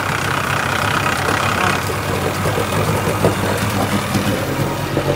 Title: Clicking sound part 2